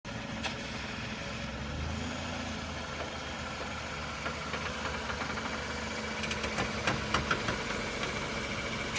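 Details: Engine idling while the steering wheel is turned: a faint irregular ticking and a few sharp clicks come in as the wheel turns. The source is not pinned down.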